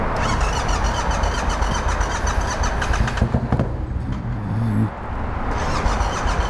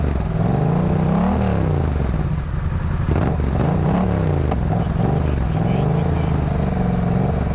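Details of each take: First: Yamaha MT-07 motorcycle with one cylinder not firing and flooded with fuel, possibly fuel in the intake; earlier backfired through the intake. Engine catches and runs lumpy and uneven with stumbling pops, still spitting fuel. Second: Yamaha MT-07 twin that had a non-firing cylinder loaded with fuel, now revving up and settling back cleanly with even firing and no sputter or popping; it sounds much better and runs normally.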